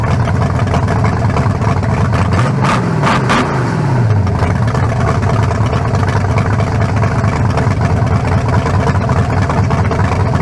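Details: 1974 Nova's new low-compression turbo engine (40-over, 3.48 stroke, forged pistons; replaces a cracked-cylinder-wall 388): lopey idle, quick rev blip falling back smooth and even, better than the 388, not sounding low-compression. Normal idle.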